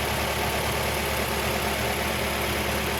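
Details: 1.8-liter Mazda Miata with a cylinder 1 misfire persisting after new plugs, coil packs and wires: uneven loping idle with an irregular stumble and rough chuffing exhaust beat; misfire at idle, owner suspects injectors.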